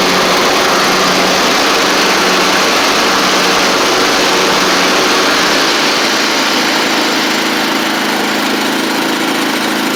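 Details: John Deere LT150 mower running with deck spinning, steady drone, no popping or rattles; much quieter after exhaust refitted with new gasket and nuts (it had no exhaust before); normal running.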